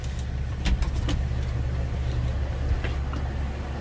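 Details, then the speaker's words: 2006 Ford Econoline E-450 flatbed, 6.8L V10, automatic with overdrive, 131,784 miles, idling, heard from inside the cab: low, even rumble with no misses, knocks or surging; smooth runner, healthy idle. "There's a look at the engine bay. Smooth runner, sounds good."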